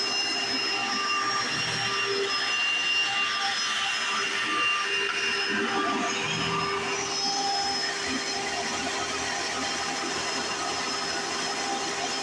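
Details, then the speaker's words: 1995 Hoover Encore Supreme U4261-930 upright vacuum, barely used; steady high-pitched motor whine with a loud even brush roll roar, one part noted as loud at switch-on but not a problem; no surging or grinding, normal running. "well I want to say is the bush wall in this one sounds a lot like a an a late 90s early 2000s singer abysal abysal singer style vacuum which is really strange"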